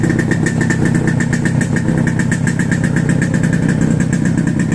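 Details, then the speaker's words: Two-stroke chopper after exhaust rework to make it less raspy: even, steady burble at idle with soft muted exhaust, no harsh rasp or misfire; healthy. "They always say a two-stroke has to make a lot of noise to run. You know what? I'm gonna have to disagree. That sounds nice."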